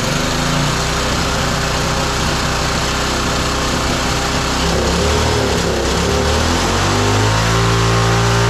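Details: Roadside-found lawn mower engine for the Tommy Gun mini bike (carburetor may need replacing): fast, steady run, even firing, no stumbling or surging; running normally.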